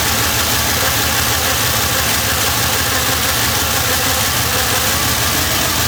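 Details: Monte Carlo engine after a valve train repair for a knock: a steady, even idle with a smooth exhaust drone and no knocking or ticking; sounds healthy.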